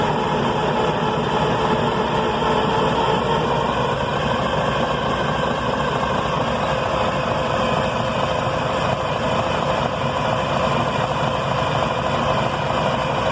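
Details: Detroit 6V92 diesel that sat at least 10 years, fed from a bypass 5-gallon tank through freshly primed new filters. It cranks steadily for over ten seconds with no firing and puts out some white smoke. Crank no start.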